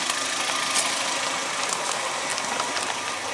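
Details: Warm Suzuki G16B 16-valve (Geo Tracker) engine, idling after valve lash adjustment and passing the water bottle test: even, light valvetrain ticking over a steady hissing idle, with no knock or uneven beat; healthy.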